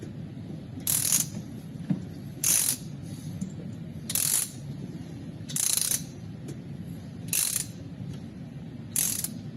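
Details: 2008 Toyota petrol engine misfiring at idle: a sharp hissy puff or stumble breaks in roughly every second and a half.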